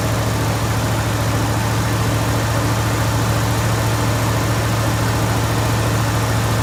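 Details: Jeep Grand Wagoneer V8 idling just after fitting a new 94-amp alternator, with a dirty air filter still in. Deep, even rumble with a steady beat and no knocks or misses; running smooth and healthy.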